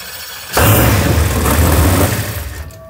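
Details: 632ci big-block Chevrolet V8 in a 2016 RPM Cheyenne jet boat, repaired with JB Weld after water mixed with the oil: catches instantly with a deep, strong roar, settles into a steady rumble; clean normal engine start.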